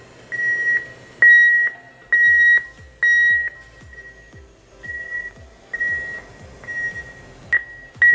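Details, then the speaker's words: Ultrasonic leak detector sound generator placed inside a walk-in cooler: a high, piercing tone in uneven pulses, strong then fading, possibly escaping past the door; seals or freeze-up at the top of the cooler suspected. Ultrasonic tone leaking past cooler door seal. "right you know you could be having some issues with the seals maybe you got freeze up going on around the top of your cooler"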